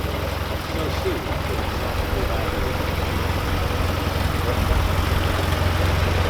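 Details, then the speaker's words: Austin Healey Sprite idling: even, low, steady idle with a soft regular pulse and no knocks or misses; smooth, healthy normal idle. "Oh, it just purrs. It just purrs, mate. Beautiful."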